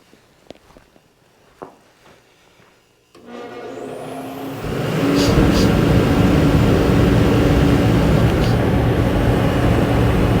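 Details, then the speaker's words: Dyna Glo 220/180 BTU forced-air torpedo heater on diesel, set to 80 degrees in a pole barn: quiet clicks, then the fan spins up and the burner lights into a steady even roar with a low hum; normal startup, big heat output. "there she goes, it's running. I think that's going to heat it up in here pretty quick. That's putting out some really big heat."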